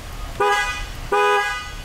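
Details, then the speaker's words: 2013 Dodge Ram 1500 with previous no-horn and LIN bus fault U1009-00, after new steering wheel switch fitted, key off: two short clear horn blasts cutting in and out cleanly; normal horn operation. "yes we do keys still off but we have horn"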